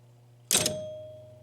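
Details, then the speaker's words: Gottlieb 1974 Big Shot pinball machine chime unit after adding rubber pads on the bottom: single clear bell strike decaying smoothly, no metal-on-metal clack; fixed. "Oh, no clack. No clack. Nothing but chimes ringing."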